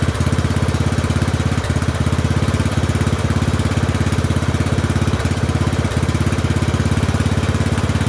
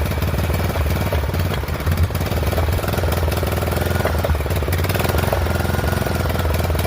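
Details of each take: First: Poulan 12538 XT riding mower, 12.5 hp single-cylinder, 38-inch deck, after new carburetor fitted (old one leaked gas into crankcase): steady fast-idle thump, even beat, no misses or knocks; oil burning off muffler; normal running. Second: Poulan 12538 XT riding mower, 12.5 hp single-cylinder, 38-inch deck, hard starting, hot: ragged uneven thumping with loose clatter on top; owner suspects intake and exhaust valves not set right, plans to readjust when cool; rough running.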